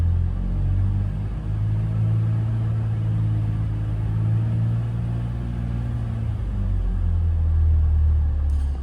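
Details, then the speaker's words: BMW X5 E53, M54 3.0i, after flexplate replacement: smooth, even low rumble held around 2000 rpm with no knock or rattle; former flexplate noise gone, normal running. "В общем, звука нет, что и требовалось, так сказать, доказать, устранить. и победить."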